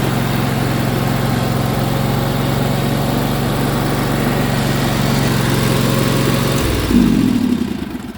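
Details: Yamaha YT6800 tractor engine: single-cylinder engine runs at a steady, even beat with no knocks or misses, then shuts down cleanly; oil pressure and battery lights go out instantly, so it is charging; sounds healthy.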